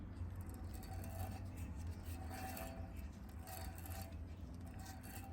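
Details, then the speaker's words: Mazda RX-7 rear hub removed and spun by hand on the bench: quiet, gritty rasping, crunchy rather than smooth, though it seemed fine on the car; rough rear wheel bearing, two new bearings ordered. "and then the other one sounds a little crunchy so I ordered two new wheel bearings"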